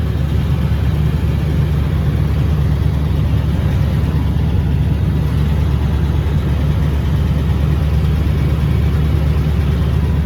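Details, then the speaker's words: Ranch truck started just after a new exhaust system was fitted; an even, deep idle rumble with no ticking or puffing, and no leaks are heard. Normal idle. "Oh, that's a different sound. Can y'all hear it? Dude, I already hear it. Oh, that's a rumble."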